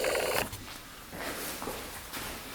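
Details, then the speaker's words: 1989 Yamaha YZ250 two-stroke dirt bike, right side crankcase half being stripped: brief clatter then low gritty purring rasp as the completely failed crank bearing is turned by hand; rough worn bearing. "this is the bearing that completely went you can hear how bad that sounds in there but we are going to get the transmission out"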